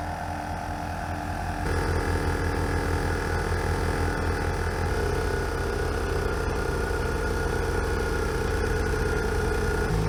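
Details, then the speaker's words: Jeep powering a Tozalazz dual-piston air compressor after sitting unused: engine drone with compressor buzz, note shifting and uneven, compressor getting quiet, then Jeep stalls; owner suspects weak battery, not confirmed. "oh my Jeep just died foreign well that was a fail I could hear the Jeep starting to run weird I could hear the compressor starting to get quiet"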